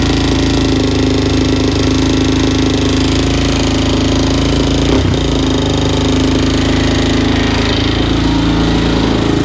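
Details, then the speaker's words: 2004/2005 Suzuki LTZ 400 single-cylinder after another shop's failed valve guide job, at idle: busy ticking chatter up top on one side of the head, valve train noisy from a shim sitting on the valve keeper with zero clearance. "it sounds a little noisy up top on this side where that uh valve guys feel with our valve guide you put in it"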